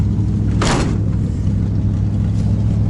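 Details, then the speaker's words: 1990 GMC truck, choke working, blow-by audible in the exhaust, runs smooth on the highway: low idle rumble with lumpy, uneven exhaust beats that skip; engine missing a lot at idle. "But you can hear, I mean, you can hear the exhaust notes. It's just missing a lot."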